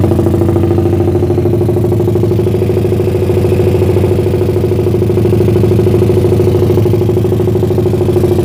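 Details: Suzuki Satria FU bored to about 177cc, lowered compression, PWK 30 carb with pilot jet 50 and main jet 150, cam timing unchanged. It kicked back when started but now idles with an even, helicopter-like thump.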